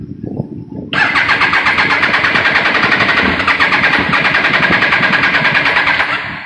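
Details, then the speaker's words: Triumph Daytona 955i no-start with new spark plugs, fuel pump running with pressure, harness suspected: brief cranking, then runs hard about five seconds on starting fluid sprayed in the air intake before fading; proves spark, won't run on its own, cause unconfirmed. "I can probably get a backfire, but I don't want to ruin any sensors with some wet starting fluid. That's just to prove that I do have spark."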